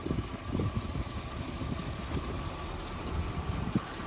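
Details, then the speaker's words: 1957 Plymouth Fury with a rebuilt 318 V8, idling outdoors: quiet, low burble with soft even pulses and no ticking or knocking, a healthy idle. Rear brakes tend to lock up when the car sits, cause unknown. "It is running. It's got a rebuilt 318 engine by, I think, Mr. James Doe, the GOAT of these cars."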